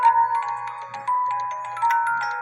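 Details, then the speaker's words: 1950s Poppo musical cuckoo clock with count wheel, after adjusting the music box stop bar on the governor fan: clear plucked tune at even tempo over soft low whir; normal music box playback. "I have it adjusted. Now the music plays."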